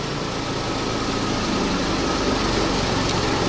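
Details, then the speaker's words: 2009 Toyota Tacoma 4.0L V6 with misfires on cylinders 2, 4 and 6 from a restricted exhaust or bad cat on bank 2. With the oxygen sensor removed it gives a loud, raspy idle and hiss through the open port. A misfire at startup went away. "starting the engine but uh everything went away and you gotta have now we got a problems you know we got that sensor removed from there so that is a problem"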